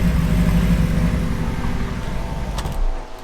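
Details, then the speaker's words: Manual supercar bought in bad condition: a deep idle with an uneven, lumpy pulse that wavers instead of holding steady. Rough idle, cause not yet found; mechanical faults are to be sorted first. "i don't know if you can just hear she's a little lumpy on idling but obviously we're going to sort out the mechanical faults first before we start touching the body"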